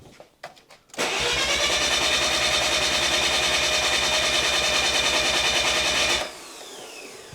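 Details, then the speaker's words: Mazda RX-7 FD3S bridgeport 13B rotary, compression test after warming to operating temperature, front rotor reading 117/113/111 psi uncorrected: fast, even cranking pulses about three a second, steady; compression sounds equal, not soft like when freshly built. "normally when the engine hasn't been in they sound really soft you again listening to the videos of this cranking when you first got built it sounds very different"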